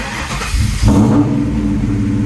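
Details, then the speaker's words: 1998–04 Mustang Cobra after modifying the fuel pump basket, primed several times after the lines were off. Brief crank, then it catches quickly into an even, steady rumble with no gas leaks or smell. Normal start. "she loves it all right sounds good just make sure there's no leaks under here"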